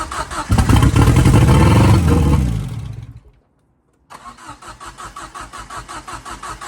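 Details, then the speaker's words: Ford Fiesta RS Turbo restoration: brief roar on easy start that dies, then steady cranking without catching; owner suspects not enough fuel is pulling through as the easy start evaporated. Cranks but no start. "okay so it is going to run maybe it doesn't have enough fuel in it now it's evaporated but I just don't believe it's pulled it through"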